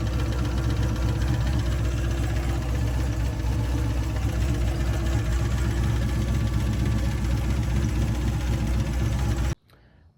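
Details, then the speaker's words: 4th-gen Camaro V8 restarted after a track pass: deep, heavy, low bottom-end knock pounding steadily through idle; teardown found a bent connecting rod with the piston skirt hitting the crank and chunks in the oil pan. "so at first I thought you know hey maybe it's a torque converter bolt or maybe it's a lifter um it sounded pretty low so you know I was already kind of concerned about it"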